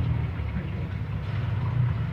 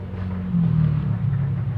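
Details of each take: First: Welhome wall fan that had been stuck, only humming and turning stiffly, now fixed by cleaning the shaft and bushing and oiling them, with no parts replaced. Even low hum with no scraping, ticking or slowing; strong airflow and the motor turns freely. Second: Welhome wall fan, seized, only hums: low steady electrical hum and buzz, vibration but blades won't turn even when pushed; seized motor from dry, dirty shaft bushing, fixed by cleaning shaft and bushing and oiling.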